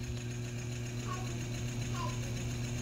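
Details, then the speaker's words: Early-1980s Eskimo fan, model 201098, 115 V McGraw-Edison M202EB motor, just after cleaning and reassembly: low steady hum with a soft uneven knock about three times a second while running slow; later reached full speed and the knock went away. "so quick update it just finally kicked in after running for a couple minutes really slowly now it's going full speed and that knocking sound went away so there we go"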